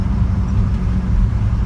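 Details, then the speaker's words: 2003 London Taxi International TX2 Silver, 287,000 miles, driving: smooth deep road rumble, no pulsing wa-wa beat; topping up the low automatic gearbox with 1.5 litres of ATF appears to have cured the noise. "now it was that a liter and a half of automatic transmission fluid as appears to have cured the problem now"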